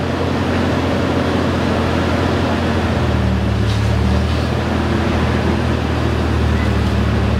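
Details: 1995 Toyota Tacoma 3.4L 4x4 with new exhaust and muffler installed: deep, steady exhaust rumble at idle with an even beat and no rattles, hisses or puffing leaks; normal exhaust note.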